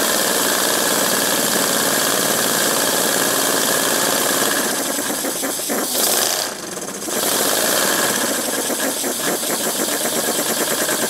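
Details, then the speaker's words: Homemade three-cylinder radial engine on compressed air, 7/16" bore and stroke, brass cylinders, aluminium pistons, steel propeller, spring-loaded ball inlet valves: slow even chuffing about 220 pulses a minute with a brief dip; normal idle about as slow as it'll go. "about as slow as it'll go"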